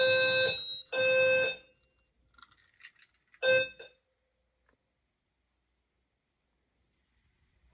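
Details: Fire alarm system deliberately triggered with a fog machine to test smoke detection: after a pre-alarm it goes into full alarm, with a loud electronic tone in three long blasts of about a second each, then silence.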